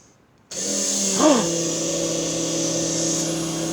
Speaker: It works. I'm gonna go turn the valve on. I'll just pump it back into the other side of the tank.